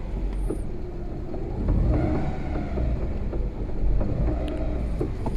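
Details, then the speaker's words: Lada Priora on a lift, driven in gear with clutch released: knocks on all gears from second through fifth, clearer in fourth, irregular knocks under road rumble; gearbox to be disassembled, broken final drive and differential gear teeth found. "ставим на третью передачу скорость не набираем стуки я надеюсь слышно на камеру на четвертую более отчётливо слышно уже рогатая пятая передача в общем стоки слышны"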